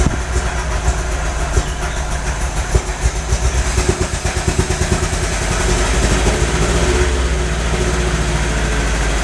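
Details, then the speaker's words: MGB 1800cc engine, first start after sitting a few years, choke off; uneven lumpy idle with irregular gaps, sounds like running on two or three cylinders; owner suspects plug leads, possibly rodent-chewed; engine misfire. "running on about two or three sounds like it's not running on a couple of the cylinders"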